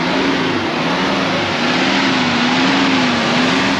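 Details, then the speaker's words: Idle relearn test running, idle well above the expected 1200 at 2300: idle hum drifts up and down about every second, never settling; idle surging persists after more than 5 minutes. "so it's been more than 5 minutes and it's still doing this idle surging and this is just wheel of death waiting waiting waiting so I think I'm going to kill the test and then restart it and see if it changes anything"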